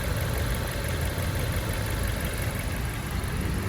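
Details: Fiat Freemont idling warm after replacing the leaking plastic thermostat housing; the cylinder head read 108 °C beside the housing. Quiet, steady low rumble with no ticking, misfire or surging; even, healthy idle.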